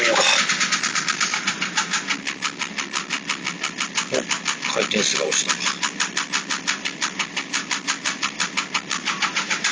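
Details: Porsche 996 late 911 Carrera 4, noise for about two months and 2000 km, vanishing off throttle, owner first suspected fuel pump: sharp rhythmic knocking about three per second over the engine; internal failure, engine replaced.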